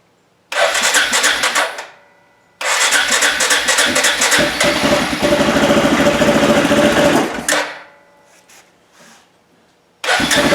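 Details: 2007 Arctic Cat 400 ATV, stored a year and a half, after carb cleaning and an ignition fix with a new plug: the single cylinder catches promptly and idles evenly with clean, regular firing, and restarts easily; normal running.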